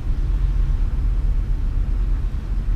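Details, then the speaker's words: RV engine back from the shop with a new adjustable fuel pressure regulator and O2 sensor, idling very smoothly at about 800 rpm amid traffic: a low, even rumble with no misses or knocks; owner wonders if a slight exhaust leak was also fixed. "idling very smoothly at about 800 RPMs engine sounds better too I don't know what he did but sounds better"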